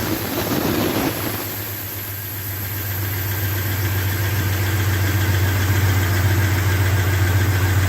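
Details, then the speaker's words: 2001 Dodge Ram 1500 Sport, first start of swapped-in used engine after crank sensor change and air cleared from the fuel rails: deep, steady even idle after a brief catch, no knocks or misses; "a pretty good running engine." "all right it's alive sounds pretty good too yeah well there we go that's a pretty good running engine"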